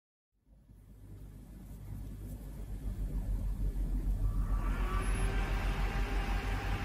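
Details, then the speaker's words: Windows 98 PC build CPU cooler fan, previously fully seized, after removing and refitting the cooler: whir climbs from silence to a smooth full-speed hum with no scraping; fan now spins freely. "cette fois c'est beaucoup mieux déjà rien cassé l'ensemble a l'air beaucoup plus cohérent et surtout il tourner librement"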